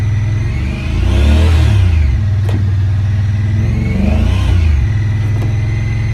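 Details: 2017 Honda Pioneer 1000-5 at 1200 miles, check engine code 9-2, sometimes won't go into gear. Engine fires and surges, rising and falling unevenly instead of settling to idle. Factory over-crimped IACV plug wires were broken inside the insulation; the plug was replaced and recrimped.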